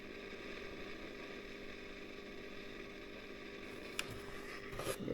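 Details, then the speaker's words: Early-1960s Selmer Little Giant single-ended valve guitar amp, all original after long storage, idling with steady hiss and low hum, then sharp crackles and pops; a failing plate resistor in the twin triode is suspected, unconfirmed. "we'll have to check the schematic and just see what yeah that's getting really noisy"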